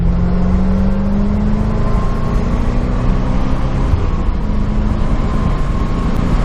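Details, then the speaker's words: 1991 C4 Corvette after replacing TPS and idle control valve, briefly warmed up, hard acceleration from a stop with in-car camera: revs climb smoothly and evenly under load, no stumble or bog; strong, healthy pull. "Let's see what we got here. Whoa!"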